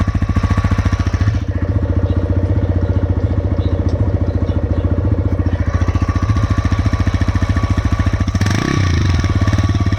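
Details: TVS Raider 125cc single-cylinder idle: sharp metallic tick on every beat, about three and a half per second, steady; top-end knock, tappet clearance suspected of delaying valve opening/closing, not confirmed.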